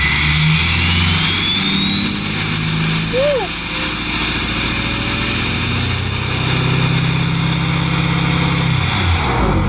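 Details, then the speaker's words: 6.7L Powerstroke diesel with newly fitted 64mm Stage 2 KC/PSC Whistler turbo and AMDP tune, free revving: deep rumble under clean whistle climbing with revs then falling off throttle; healthy turbo spool. "Hell yeah. Yeah, let's give it some revs, boys."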